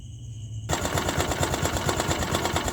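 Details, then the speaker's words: Honda Activa 125 scooter engine, recorded at night, previously had half-engine work: catches and runs with fast, even, hard tapping every revolution over the exhaust note; damaged crankshaft knock, full engine rebuild needed. "तो यहां पर अगर आप ध्यान से सुनेंगे तो इसमें क्रैंक का भी साउंड आ गया है क्रैंक इसका डमेज हो गया यह देखि कक का साउंड आपको सुनने को मिल रहा होगा"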